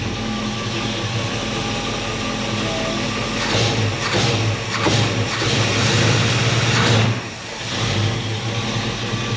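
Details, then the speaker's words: 1964 Chevrolet Chevelle V8 with Holley carburetor after carb teardown and cleaning, idling about 700 rpm in gear: lumpy idle then quick throttle blips picking up cleanly without stumbling or bogging; carburettor now responds properly. "that's a lot better than it was was lot better"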